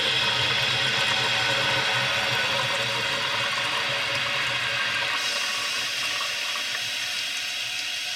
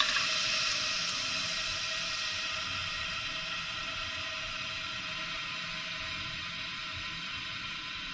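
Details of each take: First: Toilet tank refill after adjusting the fill valve so water stops about 1.5 inches below the overflow top: steady hiss of refilling, easing off as the valve closes cleanly with no seeping; normal refill and shutoff. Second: That is still coming up, just in my opinion, a little bit too far. You can still hear that it's seeping just a little bit.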